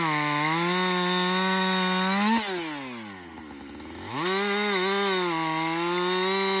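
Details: Husqvarna 562XP chainsaw back from the shop after a software reflash for dying when hot and stumbling; full-throttle scream bogs smoothly into the cut and recovers to a steady high pitch. It runs healthy under load through its first full tank.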